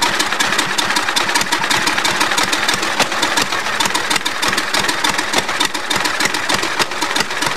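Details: Allis-Chalmers tractor with swapped small engine after previous engine blew a valve: clattery ragged uneven firing with rattly top end; rough running, then stopped squealing, found badly low on oil.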